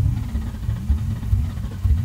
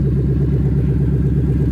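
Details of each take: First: 2000 Mustang GT, second start attempt after a found unplugged fuel pump was reconnected; new plugs, coils and fluids; cranks with low uneven chugging and irregular pops and sputters but does not catch. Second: 2000 Ford Mustang GT with a 4.6 V8 from a Crown Victoria, new plugs, coils and fluids, fuel pump reconnected: deep, even low rumble with a steady pulse and no knocks or ticks; normal idle.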